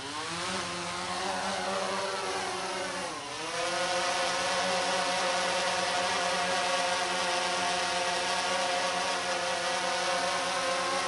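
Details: DJI Phantom 3 lifting off to about 8–10 feet outdoors for a noise comparison with the Phantom 4: even, high buzzing whine from several rotors, pitch dips briefly on lift-off then settles into a steady, healthy hover.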